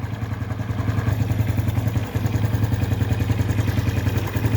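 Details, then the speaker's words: Honda Biz 110i single-cylinder engine, about 3 minutes after the adjusting-screw fix for its engine noise: a steady, even idle with a soft regular beat and no tapping. The noise is gone and the idle is normal. "Não sei se vocês vão perceber no vídeo, mas o barulho aqui já terminou."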